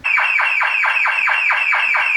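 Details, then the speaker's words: BMW E36 drift car after keyless entry install: loud siren sweeping down in pitch about four times a second, full-on alarm going off; working alarm. "the alarm just went nuts I love to see somebody try to steal this car I think it's loud that's a full-on alarm so I guess it works for that"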